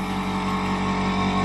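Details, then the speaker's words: Iwata Studio Series Smart Jet Plus airbrush compressor running on a table indoors, sound bouncing off walls so it seems louder, with a PS270 airbrush attached: steady even hum, no knocks or surging; works fine. "so it may sound louder in here but it works fine that pressure and then you can dial in"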